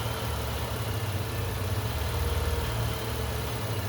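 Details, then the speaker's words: Engine surging at idle, hunting up and down every second or so, after the roughly 1-inch resonator tube was disconnected from the intake manifold, creating a large vacuum leak; lean condition, ECM compensating via fuel trims, O2 sensors switching lean to rich. "But I don't know if you can hear the engine in the background is surging. Oh, I disconnected the uh resonator tube off the intake manifold. That's about a 1 in diameter tube. So, that's a pretty large vacuum leak."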